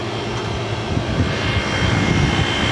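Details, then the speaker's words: Old Traulsen fridge converted from water-cooled to air-cooled with salvaged walk-in condenser coil, running on R134a and just started: even roar of fan and compressor with faint steady high tone, no knocks; running normally. "section's still a little warm i just turned it on so give it a break but here it goes see could be done it's running"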